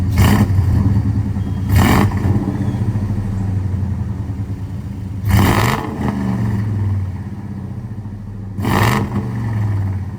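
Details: 2002 Ford F150 Harley-Davidson supercharged V8 with long tube headers, high flow cats and new mufflers, fully warmed up with full oil pressure: lumpy idle broken by four sharp blips rising and settling cleanly, no rattles or misses; normal exhaust note.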